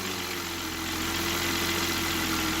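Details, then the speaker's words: Volvo XC90, first start with parts loosely fitted and nothing clamped: quiet, smooth idle with a faint steady hum and no diesel-like clatter; normal idle. "peace and quiet"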